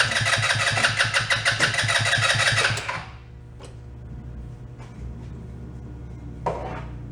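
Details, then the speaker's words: Two-passenger CVT ATV, believed 150cc, sat unused for a while; after battery charge and starter fluid, starter churns rhythmically about three seconds with no catch, then clicks. Not getting any fuel; water in carb possible, though tank gas looked good. "Let's just say it ain't a Honda. That is not getting any fuel at all. It has other issues."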